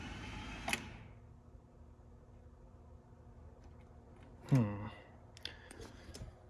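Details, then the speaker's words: S54-swapped BMW E36, first start attempt: single sharp click then heavier clunk, no cranking; starter not engaging, bad starter solenoid. "So something's up. So it seems like the problem is the starter isn't engaging if I could get it to crank, I believe I could get it to start."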